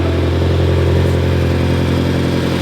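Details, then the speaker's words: 2018 BMW M6 V8 (Copart salvage with front-end damage) first start after sitting: deep, even burble through side-dump exhaust, steady pulses, no knocks or ticks; sounds beautiful, normal idle. "that sounds beautiful"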